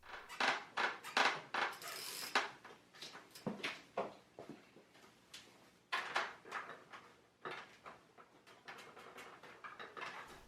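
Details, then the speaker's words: Original 2016 Tacx Neo Smart trainer, about 2 years old, ridden: irregular dry creaks and ticks in clusters under load; suspected from the folding hinges, source uncertain; fixed by applying dry chain-wax lube to all four hinges. "On initial inspection here, it appears to be the hinges there where the unit folds up is where the creaking is coming from. Very hard to know exactly where."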